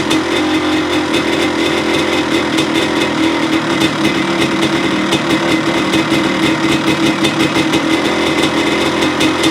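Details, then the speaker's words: 1985 Honda CR250 two-stroke after low-compression rebuild (honed barrel, new piston, crank seals, clutch cover, inlet manifold, chain and sprockets) starting and running: crisp, steady buzz at an even pitch with no misses or rattles. Runs normally and goes through the gears. "okay so she sounds good it goes through the gears"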